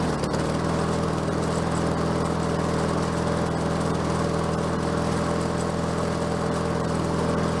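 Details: Bolens 22-inch self-propelled mower with a Quantum engine, first run after getting it going, self-propel cables seized: small single-cylinder holds a steady, even putter with no misses or surging; runs normally.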